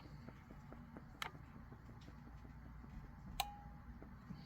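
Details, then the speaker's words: Honeywell water heater gas control valve tested with air, turned to hot: quiet light ticking, then two sharp clicks about two seconds apart as the main burner valve opens normally. "and we heard it we heard the main burner and we're over on hot"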